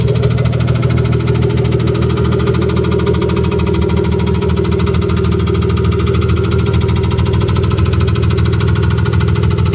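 Steady idle from an inline-six with a faint, even tick riding over the low hum; the source of the knock is not yet pinned down.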